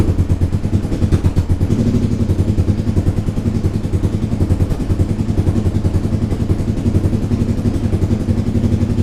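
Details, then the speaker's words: Suzuki SV twin during restoration, restarted after engine reassembly with corrected valve timing and an attempted exhaust leak fix: firm, even thumping idle with no misses or clatter, now sounding like a proper twin; some exhaust leak remains at the top. "Bon, déjà là le son ça n'a plus rien à voir. Là ça fait vraiment un son de bicylindre."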